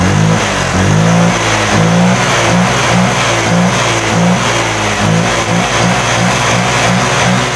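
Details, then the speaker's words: Honda Vario 125 LED scooter that came in sluggish, weak and unresponsive: after a part replacement the scanner altitude value reads normal. Repeated throttle blips rise and fall crisply with no bogging. Throttle pull is better, injector 2.3 normal, O2 sensor working. "AC di sini sudah jelas untuk tarikan gasnya dia lebih Hai dia lebih enak"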